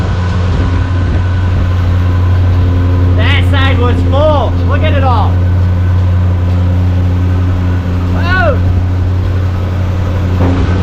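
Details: 1975 Chevy C10 Squarebody V8 on its first start after sitting 20 years, primed with fuel. It settles into a steady low idle with an even rumble under voices; it sounds healthy.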